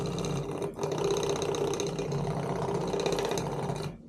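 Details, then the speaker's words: Simagic P-HPR Neo pedal haptic unit 8554, one with a tactile-feel issue: harsh, uneven, loose-sounding buzzing rattle for almost four seconds; rattles like crazy, clearly defective, cause not confirmed. "this one rattles like crazy clear lead defective"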